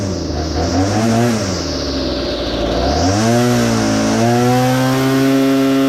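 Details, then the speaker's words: Well-used two-stroke saw after throttle adjustment to cure bogging on acceleration: revs smoothly under cut, pitch holding steady without bogging; running healthy. "[Music] um sounds good real good"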